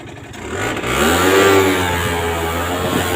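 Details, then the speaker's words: Aprilia Gulliver 50 two-stroke scooter, which had run but wouldn't drive properly, now fitted with its original larger-opening air filter and the leaking filter neck taped: blips up crisply and holds a steady, even buzz; it runs very smooth. "runs very smooth a filter neck was leaking tape on there but yeah I know we people love exhaust sounds"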